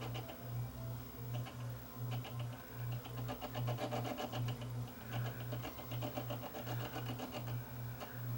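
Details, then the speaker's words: Akai 4000DS MK2 reel-to-reel: playback wavers with a regular pulse a bit over once a second; the rough, unsmooth capstan shaft is causing wild flutter and needs replacing. "like that is not smooth no wonder he's getting wild flutter you can hear it"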